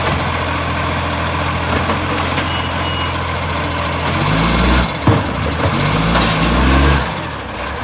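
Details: Garbage truck diesel: loud uneven chuffing over rough idle, swelling as the engine works; a suspected exhaust leak, not confirmed.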